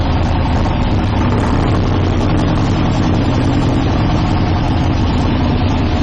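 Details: 1972 Nova drag build, in gear during transmission test after fluid drain (earlier 2-3 shift locked rear wheels); deep lumpy big-engine idle holding steady, no clunks or slipping flare; all gears working, normal idle in gear.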